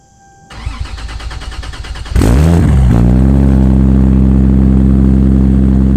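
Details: Toyota Supra build, first start after three years of building: starter whirs briefly, engine catches into an even steady idle with no misfire; healthy, though a minor exhaust leak at an oversized mid-pipe-to-catback V-band clamp.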